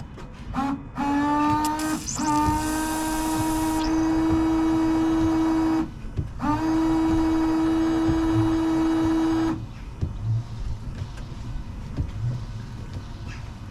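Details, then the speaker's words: Range Rover Sport L320 washer pump fed straight to a jet: steady electric pump whine in two bursts, level pitch; pump works but nozzle still blocked, then blown through with compressed air. "So, no, it's telling me that the nozzle's still blocked."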